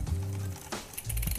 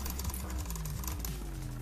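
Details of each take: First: Mountain bike, Shimano front derailleur on the inner ring, rear shifted to about sixth gear: steady whirring drivetrain with a rhythmic scraping rasp. Front derailleur cage rubbing the chain before L-screw adjustment. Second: Mountain bike front derailleur after cable tension was set with the barrel adjuster to stop the parallelogram rubbing the chain: a light, even chain whir with fine ticking and no rub. The derailleur runs clean.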